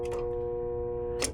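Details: Residential HVAC indoor blower motor in a no-cooling, no-airflow case, tested with the outdoor compressor contactor out of the circuit: a steady electrical hum with no spin-up and a clunk near the end; the motor is energised but stalled and faulty.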